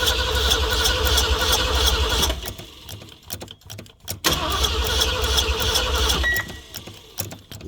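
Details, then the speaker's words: 1974 Ford van, sat 30 days after fuel pump replacement and carburetor rebuild, cranked while pumping: long starter bursts with pauses, never catching. Carburetor not getting gas; fuel starvation. "that shows is what that shows is this carburetor is not getting gas."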